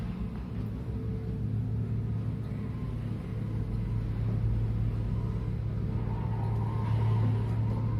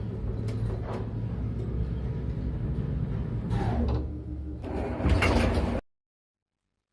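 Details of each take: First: Elevator after its guide shoe liners were replaced to cure knocking and the guides were lightly oiled; a steady low hum as the car travels with no knocking, running smoothly, though a slight scuffing remains somewhere. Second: Elevator knocking while moving: uneven low rumble and thumping as the car travels, then the door sliding; worn counterweight shoe liners, especially the lower ones, knocking and due for replacement.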